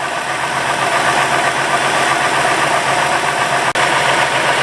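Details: 2000 Ford F250 Super Duty Triton V10, 137,000 miles, after replacing all coil-on-plug coils (water found in plug wells 7 and 10, no codes): even, steady idle with no stumble or shake; misfire cured, firing cleanly.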